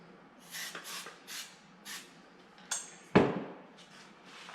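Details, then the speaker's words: Stihl 031 AV chainsaw, about 1974–76, sat about five years, carb cleaned, ether tried, sluggish rewind: several quick pull-cord rips, then one sharp ringing crack as it backfires on starting; rewind snaps back, choke kept off. "and Rewind Snapback on it on a backfired here so we'll see we'll keep the choke off"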